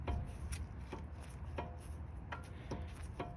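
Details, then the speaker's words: Brake caliper removed, pad moved by hand in its carrier: sharp irregular metallic knocks about once a second as the pad rocks; excess pad play in the caliper bracket causes the front-end clunk when braking. "you can imagine with the force of a car on top of that, that's going to make quite a knocking noise."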